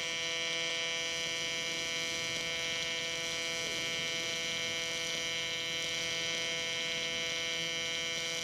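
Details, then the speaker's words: Miller Dynasty 300DX AC TIG welding aluminum: steady high buzz with faint irregular pops because the aluminum is still cold; it needs to heat up more. "you hear how it's popping like that it's cuz it's cold you gotta let it heat up more"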